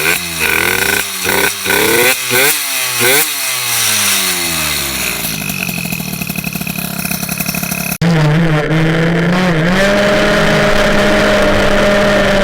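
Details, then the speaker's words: MBK 51 two-stroke with Bidalot G2RR cylinder, Ninja G2 replica exhaust and 24 mm PWK carburettor, mixture too rich: revs up and down with rapid, uneven clatter over the buzz, heard as carburettor/intake noise; exhaust itself quiet. Intake clatter at low rpm. "bon on entend beaucoup de claquement ça c'est le carburateur c'est l'admission mais le pot en lui-même il claque le pot en lui-même est plutôt silencieux avec un bruit sympa"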